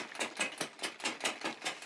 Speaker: if it's making a clickety clackity noise like that it means the derailleur is confused i like to anthropomorphize the bike equipment it thinks it should be in a lower gear but it's not quite in the lower gears or higher gear